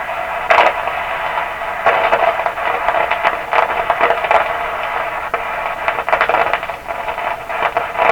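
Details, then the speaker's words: 1929 Victor RE-45 radio, third #27 detector tube fitted, first at lower voltage then full voltage: steady hiss broken by irregular sharp pops and crackle bursts, partial-discharge-like noise; tube swap doesn't cure it, so the source lies elsewhere. "so it's it's popping but in fact I'm still on the dim lights you can see them there so it's popping with the lower voltage here we go full voltage"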